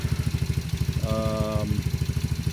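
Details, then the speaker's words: 125cc ATV after a no-start repair (relay, ignition switch, plug, carburettor, manifold, battery, rectifier, fuel line and filter; rusty tank flushed): even, steady low putter at about eight pulses a second with no misses. Clean idle. "yeah so we did all that to it and new battery and she's running pretty good"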